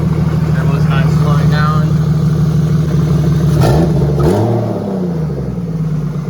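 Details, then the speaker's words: BMW E36 with turbocharged M52 engine, first start after fitting new oil feed/return lines: the idle holds steady, then dips and settles lower and smoother over a few seconds; normal, healthy idle. "yeah it look a lot smoother everything looks good"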